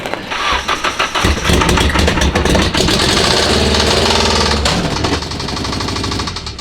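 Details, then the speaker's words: Nissan S-chassis project car, possibly KA engine, with known rod knock and reportedly cooked clutch: quick cranking pulses, then it runs rough and lumpy with a heavy knock underneath before dying. Worn rod bearing knocking. "that sounds crazy. That sounds like Sounds so terrible."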